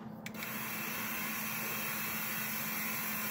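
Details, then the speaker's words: 2000 Ford Expedition power window motor, removed from the door after the window jammed: a labouring hum after a rough start that struggles, then begins to free up; the motor case gets very warm; suspected internal binding; motor binding. "We've confirmed it started to go and then it jammed up. It barely goes. You can hear it. It's struggling."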